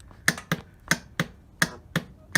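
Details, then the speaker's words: TaoTao 110 automatic ATV in neutral with brakes held, start button pressed: sharp single clicks about three times a second with no cranking, apparently the starter solenoid engaging without power reaching the starter; battery voltage to be checked, cause unconfirmed. "so we hear the uh what appears to be the solenoid kicking in but no power to the starter to to crank it"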